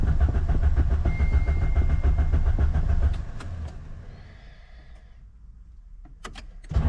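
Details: Ford Sierra RS Cosworth left in a garden for over 17 years, on old low fuel, accelerator pedal sinking to the floor: starter churns steadily at about three and a half turns a second, then slows and stops; cranks without firing.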